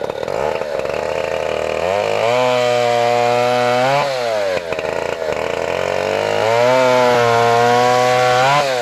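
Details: 1959 Stihl Contra (Lightning) 106cc 6HP two-stroke chainsaw, mint collector saw with Tillotson HL112C carburetor: crisp buzz revs up cleanly, holds, drops back and climbs again with no misses or stumbles; runs healthy.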